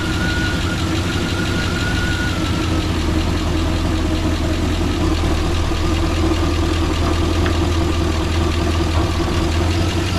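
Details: Freshly rebuilt 6.0 LS LQ4 V8 with stage 1 truck cam in a 1986 Suburban C20, first start, cold, idling steadily with a quick puffing tick in time with firing; exhaust leak, valvetrain sounds good.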